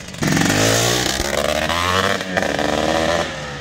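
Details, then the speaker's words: Yamaha YZ465 two-stroke dirt bike, just restored, on its first ride: raspy revving with a burbly, uneven note that won't clean up; the carburetor jetting sounds fat and needs tuning. "Sounds like the jetting's a little fat, but we'll get them straightened out. Sounds like it needs a wizard tune."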